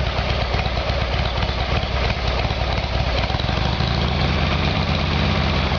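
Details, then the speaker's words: Harley-Davidson Evolution Sportster after a carburetor fix, started cold on choke: steady, even V-twin lope at idle with no misses, knocks or rattles; runs smooth and healthy. "Okay, well that sounds a lot better."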